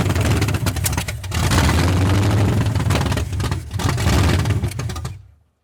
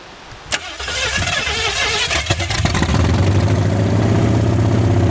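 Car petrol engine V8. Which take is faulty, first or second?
second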